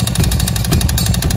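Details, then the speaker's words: Honda Beat Deluxe scooter arriving for a 140 cc bore-up with full BRT parts, running very noisy before the work: loud harsh rapid clattering slap over the running engine, attributed to a worn, loose cylinder liner. "di 140 cc linernya udah oblak gu one Steel satu-satu"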